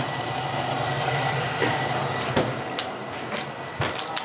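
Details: Apartment gas furnace running on a heat call, filter good; steady, even fan rush with faint hum underneath and a few light clicks; blower running smoothly and healthy.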